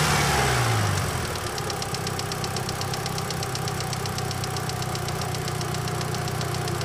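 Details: Idle recorded by an engine-bay microphone with a sharp, regular metallic knock about four per second; first suspected a bad lifter, turned out to be a rod bearing and cracked crankshaft.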